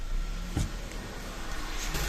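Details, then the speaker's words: 2008 VW Passat B6 1.8 TSI, hard start then shaking, misfiring idle with uneven stumbles; scanner shows misfires on cylinders 1, 3, 4; high fuel use; caused by clogged injectors and leaking injector seals. "отак от він робить його трусить не так от Він працює"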